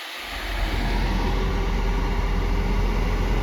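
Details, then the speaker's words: 2009 BMW 530i A/C blower on MAX after a new evaporator, compressor and heater valve; it spins up within half a second to a strong, even rush of air. "it is blowing really hard, then means you have a low battery."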